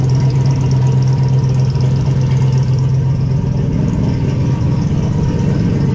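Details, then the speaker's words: Car with a newly installed Evil Energy baffled oil catch can, started with the hood off: loud steady low groan over a lumpy idle from the power steering pump, which sounds ready to implode; crankcase fumes now gone. "You like my power steering pump? Sounds like it's about to implode on itself."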